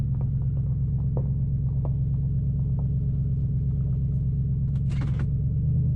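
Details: 2005 Nissan Titan V8 after Walbro fuel pump rebuild and new starter, muffler removed: deep loud steady low rumble with even beat, no knocks; running smoothly, seemingly better than before.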